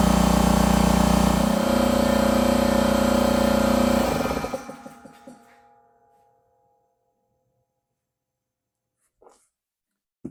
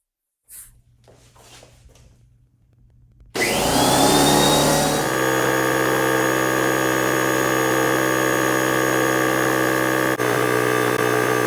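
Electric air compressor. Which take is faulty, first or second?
second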